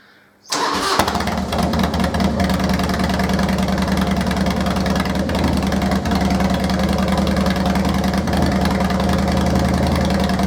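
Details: Harley-Davidson Deuce project bike, start after refitting tank and plugs, following brief oil-circulation runs: brief crank then fires and settles into an even, lumpy V-twin idle with steady low thump; normal start and idle.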